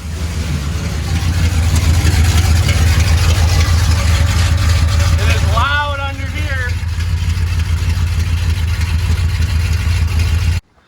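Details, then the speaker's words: 1977 Dodge D200, freshly rebuilt 360 V8 with RV cam, long-tube headers, started without mufflers; deep, loud, steady rumble with even unbroken beat, no knocks or misses; everything running good: normal idle without mufflers. "We're gonna start it up without any mufflers first. Everything's running good up here."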